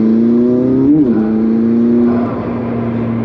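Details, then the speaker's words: 2019 McLaren 600LT Coupe driving in automatic track mode: strong rising turbo whistle climbing with the revs; normal turbocharger spool. "I mean you can hear the turbocharger it sounds amazing but I will tell you in automatic mode even in track mode which we're at right now I mean it's still lugging pretty good"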